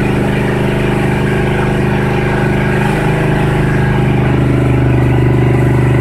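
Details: 1976 Ford F-350, cold start after two years without starting: loud, fast, steady idle well above normal; idle speed not yet set, choke and PCV still to be hooked up.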